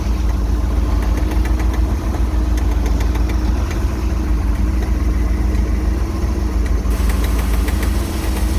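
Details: MerCruiser 260 5.7L V8 marine engine: a deep, lumpy idle with a faint, fairly regular light tapping, around three per second, heard only at idle and gone when rpm rises; source unknown.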